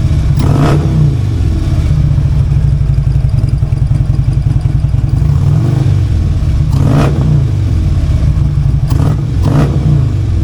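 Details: Harley-Davidson V-twin just after a new part was fitted, not yet tuned, compared with the earlier sound: loping idle broken by several quick throttle blips that rise and fall cleanly; revs smoothly and sounds healthy, no clear difference heard yet.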